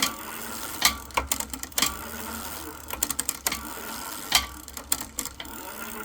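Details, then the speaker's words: Lectric XP e-bike rear derailleur: irregular sharp clicks over the freewheeling drivetrain as the chain hits the next sprocket. Shift cable tension is too low, so it won't shift up into that gear. "yeah so the derailleur moved it that time now hear it clicking so it means it's not going to go up in that gear"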